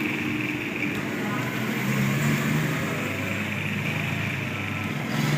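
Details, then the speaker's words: Pedestal fan after a bearing adjustment to cure an odd running noise: steady, even motor hum with no rattle, scrape or ticking at speed; the noise is gone and the fan runs smooth and quiet. "यह आप देख सकते हैं बिल्कुल आवाज की खत्म हो चुकी है"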